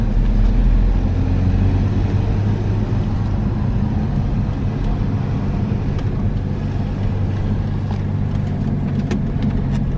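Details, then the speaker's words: Car driving and turning after a small stone caught at a front brake, which caused scraping when turning, was removed: only steady road and tyre rumble, no scraping. Normal driving with no brake noise. "that was definitely yeah yeah it's definitely fixed it sorted job done"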